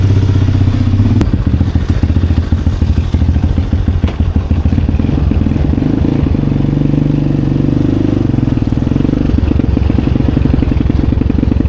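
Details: 2020 Chinese Apollo 250cc dirt bike, sat 2 years with gas left in carb, on a ride: single chugs with rapid, uneven pulse, never climbing past mid revs; owner suspects dirty carb; plans to pull carb and main jet.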